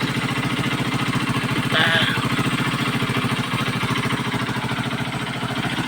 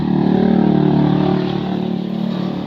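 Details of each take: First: Kawasaki Boxer motorcycle idling evenly and steadily after converting to a Lifan 110 4-pin CDI and adjusting idle; it previously ran rough like a horse and stalled. Idle is a bit high but no longer stalls; only an exhaust leak remains. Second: Kawasaki Boxer motorcycle converted to a Lifan 110 4-pin AC-type CDI with an incomplete conversion: it has spark but idles unevenly, galloping like a horse and stumbling, then dies.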